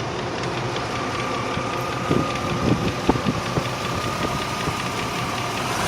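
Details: 1998 Range Rover P38 4.6 HSE petrol V8 idling steadily with a faint, irregular light tick from the top end; owner hopes it is a worn cam with a tappet bouncing, unconfirmed.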